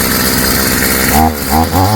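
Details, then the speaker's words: Stihl FS55 trimmer two-stroke after a new Hipa carb kit install, warming up: crisp buzz with quick throttle blips that rise and settle cleanly, no stumble or bog; runs great, normal running. "runs great. Let's shut it off and see if it'll restart. Yeah, it runs great, guys. Runs wonderful."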